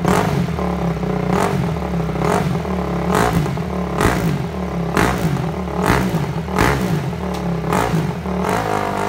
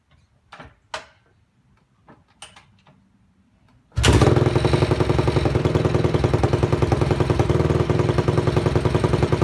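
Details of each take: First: Freshly reassembled Honda CRF250 single-cylinder running on choke during a carb-cleaner spray test for air leaks around the carb boot. It runs rough under throttle with irregular pops about every two seconds, stumbling; fueling or air leak suspected. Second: Honda CRF250 dirt bike, idle set low after reassembly: steady idle with a light, even tick about three per second; the tick is the chain resting on the rear axle, not an engine problem.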